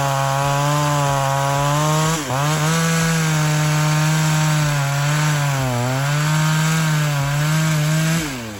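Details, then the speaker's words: Ported Pioneer 3270 chainsaw, final testing: strong high-revving buzz that sags briefly as chain bites wood then recovers cleanly; normal full-throttle cutting, saw pulls well, though porting worsened existing vibration. "now regardless I mean she Rhymes great this thing really chews Through the Wood"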